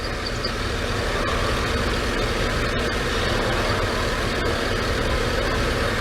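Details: GMC Suburban Vortec 5.3 V8 at idle after a belt squeal was cured with yellow crayon on the belt: steady even low rumble, no squeal or chirp, belt now quiet.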